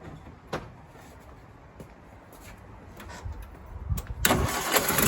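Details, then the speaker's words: Rover P4 80 idling after the first of its ignition cables was swapped from acorn-boot to rubber-boot leads, fitted because of rough pinging and shocks from a suspected insulation leak; it catches quickly and idles evenly with no misfire, a good sign. "Okay, that's a good sign. So that's one down."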